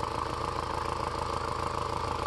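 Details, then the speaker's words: VW/Audi 1.8T at idle, vacuum line disconnected from the secondary air combi valve, secondary air pump found full of water: steady idle with a quick, even puffing pulse as exhaust pushes back through a stuck-open combi valve. "but you can hear it pulsing and exhaust noise is away is gone now that's exhausting"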